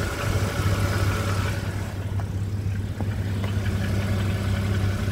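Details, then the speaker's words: BMW E60/E90 N52 engine at idle: a steady light ticking of nearly three per second over a low hum. It sounds like rod knock but comes from the top end; the owner suspects the hydraulic lifters, unconfirmed. "It sounds like a rod knock, but it's coming from the top of the engine. So, one of the next videos here in the near future is going to be probably addressing the top end and trying to figure out how to fix the infamous top end tick from the hydraulic lifters."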